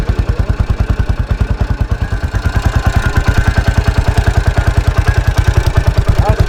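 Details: 1983 Husqvarna 510TC four-stroke single, recently rebuilt after fire damage: crisp, evenly spaced thumps picking up slightly as the throttle opens, with no clatter or misfire; sweet-sounding, normal running.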